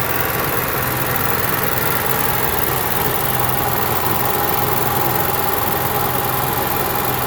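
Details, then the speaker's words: Onan Marquis Gold 5500 generator after carburetor cleaning and high/low adjustment, no parts replaced: perfectly steady drone with no rising and falling in speed; runs smooth, surging fixed. "so now you can see we got a perfectly running good onan and with zero cost no parts at all just take it apart clean things adjust things make things and we're back on the road"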